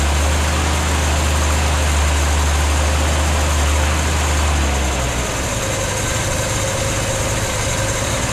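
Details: 1964 Ford Falcon after head gasket work, idling once fuel took a minute to come up; the fuel pump was then found leaking. A steady, low, even idle settles slightly halfway through, with no knocks or misses, and sounds healthy.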